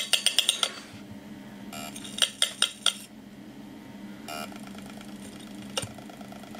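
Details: Opened 80GB Samsung IDE hard drive powered up with its cover off: quick bursts of sharp metallic ticks, about five in half a second, then quiet, then repeated; the drive keeps clicking.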